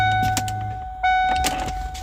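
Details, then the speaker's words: 1993 Mustang with the key left on: sharp clicks in quick irregular bursts over a faint chime, with the fuel pump humming and staying on. The fuel pump relay chatters despite new grounds, relays, regulator and fuel rail; the ECU is suspected next. "you can hear the relays clicking. Let me see if it does it now. So you not hear any noise and then all of a sudden it'll click like crazy."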